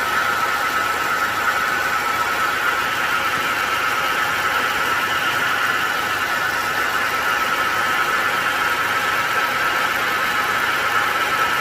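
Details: Engine running with a constant mid-pitched whirring rattle and faint steady hum that never changes; noise from a failing A/C compressor.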